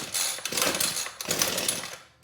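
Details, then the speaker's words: New Ryobi two-stroke string trimmer, first start, primer bulb pumped and full choke: raspy pull-cord cranking, then sharp pops as it begins firing, so choke is moved to half. "we're starting to start, so I'm going to move to half choke."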